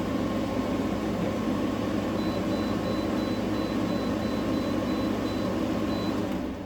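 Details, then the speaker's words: Newly installed GE AWFS10WWL 10,000 BTU window air conditioner; a soft, even fan rush with a faint steady hum and no rattles or cycling clicks. The compressor is barely audible, the air almost ice cold; healthy, normal operation. "I was thought it wasn't working there for a minute cuz I couldn't hear the compressor, but now I feel the air is almost ice cold coming out of there. And that's the compressor running."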